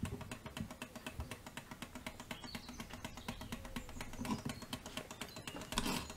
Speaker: That's a bit better already, but you can still hear that it's still too deep.